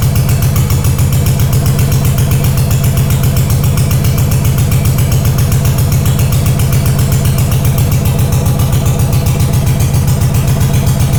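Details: Honda GL500 twin, not started in over a decade, first start after a wiring loom rebuild with old oil inside: loud, fast, slightly uneven thumping at high choke idle. Rough idle on choke.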